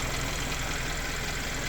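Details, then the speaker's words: Hyundai Sonata after applying a free no-liquid fix for an engine-bay ticking at idle: restarted, smooth even idle with a soft steady hum and no ticking; owner will check next morning whether the noise returns. "Start करते हैं सिर्फ फिर से नया अभी sound चला गया"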